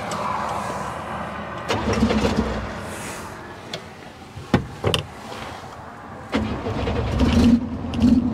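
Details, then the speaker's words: 1966 Chevy Biscayne, straight six with Powerglide, sitting about 20 years, oil level checked: the starter catches and the engine stumbles into an uneven, lumpy run with surging bursts. It misfires and runs rough; the cause is unconfirmed. "Because it runs bad."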